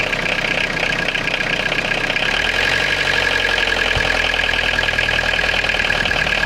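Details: Citroen Jumpy/Dispatch XUD9TF diesel rough idle: loud clatter, uneven lumpy rhythm; owner suspects air ingress into fuel line, fuel filter change didn't help, hesitates with timing advance plugged in, rougher unplugged.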